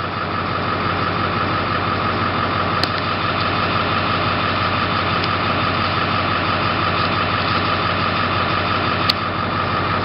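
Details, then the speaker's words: 2001 Ford Super Duty 7.3L diesel idling just after swapping the 110A alternator for a 220A unit, good voltage: steady idle with thin constant squeak; owner says water pump needs fixing. "Squeaky valve, I have to fix the water pump at some point, but that's coming up later."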